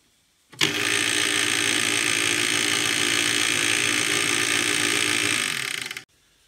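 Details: Clatronic KM2718 1000W stand mixer, belt found intact: steady high motor whir with a fast faint ratchety flutter as the belt climbs up off the worn toothed drive gear, so the mixing head doesn't turn.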